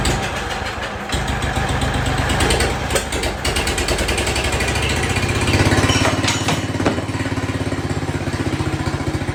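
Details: Jacobsen Chief 1200 tractor, cast-iron Kohler 301 single, after sitting about 3 years; aftermarket Chinese carburetor adjusted. Engine starts, then settles into a steady thumping idle of about three beats a second without stumbling. No smoke; normal, healthy idle.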